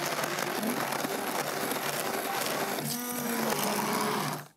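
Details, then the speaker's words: Blender with stainless steel mixing wand making a smoothie with juice, berries and ice, blitz button pressed: steady high whirring at full power for about four seconds, then clean cutoff; normal, healthy run. "this is the blitz button this is going to give you full power blitz power straight away"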